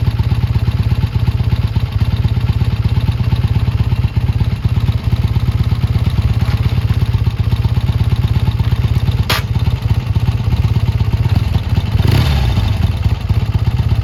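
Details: Triumph T140 twin after new carbs fitted and an air leak sealed with extra clamps: even, crisp idle with a steady thumping beat and no misses or hunting. Normal, clean idle.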